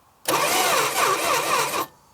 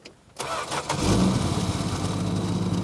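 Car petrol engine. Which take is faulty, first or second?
first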